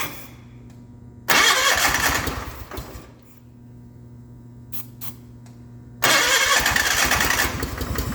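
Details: 1989 John Deere 420 garden tractor on an auxiliary fuel tank: starter cranks, engine catches briefly on ether and dies, cranks again and fires but won't keep running; fuel pump possibly losing suction pressure through an open port.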